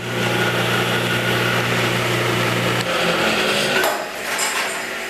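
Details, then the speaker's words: 1977 Craftsman 113-series table saw, first test cut after restoration: harsh, buzzy hum with an uneven rattle while running, then coasting down; blade free spinning because a part wasn't tightened enough at reassembly. "That doesn't sound good. Well, we had an issue there. It's free spinning right now. The death wheel. Still spinning. Those bearings, I'm glad I didn't take those bearings out because, guess I just didn't tighten it enough."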